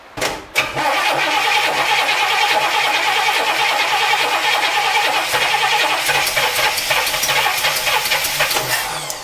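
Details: 1964 Cadillac with points ignition, sat 17 years, new oil and filter, charged battery, fuel from a jug to the carburetor, starting fluid: steady cranking about three to four beats a second, never fires; test light shows no spark.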